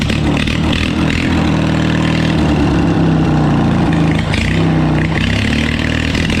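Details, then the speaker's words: Old John Deere lawnmower engine converted for racing, revving in steady pulls: sounds thin and reluctant at the top; owner suspects it needs more fuel, carburettor tuning pending. "oh yeah we have to do a little more tuning on it because it sounds like it needs a little more gas but that shouldn't be too big of an issue"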